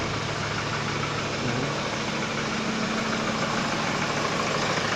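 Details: Hyundai Starex VGT diesel after fixing a P0192 fuel pressure sensor crank-no-start fault: even idle with a steady low drone and regular clatter, no misfire or stumble; normal idle.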